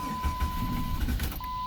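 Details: 2003 Jeep Grand Cherokee 4.0 with P0505 idle air control circuit code: uneven starter thumps under a steady warning chime, engine never catches; crank-no-start, with a failed idle air control valve suspected, not confirmed.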